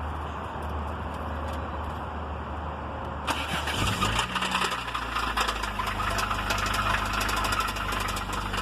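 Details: 1993 Honda Civic petrol engine cranks, catches and runs with a rough, uneven knocking clatter as it settles; owner jokingly calls it the VTEC.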